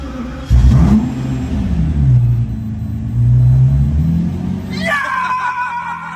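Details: Lamborghini with mysterious faults, restarted after a failed part was replaced: engine catches on first crank and settles into a steady, deep rumble with even revs and no misfire; runs healthy.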